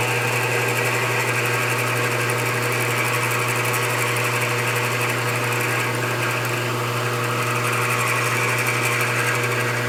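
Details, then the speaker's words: Lathe drilling a brass Slash RC differential cup with what is probably an S-size drill, undersized for a needle bearing: steady spindle drone with a thin, scratchy squeal throughout as the bit cuts brass. "If you could hear the kind of squeaky noise, that was the brass getting cut."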